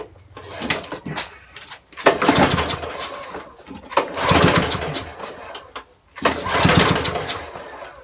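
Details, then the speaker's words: Broken spares-or-repairs petrol walk-behind mower with oil at correct level, being pull-started: three hard recoil pulls, engine spins but never catches; no priming bulb found; no-start later traced to cam timing marks out of line. "Okay, so not really any luck with this, so might just try taking the plug off, shooting a bit of petrol up there, putting it back on and seeing if we can start it then."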